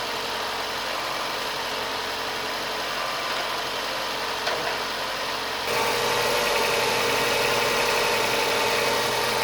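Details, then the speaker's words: Newly built car's first start: smooth, even idle with faint light injector tapping as small amounts of fuel enter each cylinder; no knocks or misses, engine sounds healthy. "And I hear the injectors tapping. We're letting in a very small amount of fuel in for each cylinder."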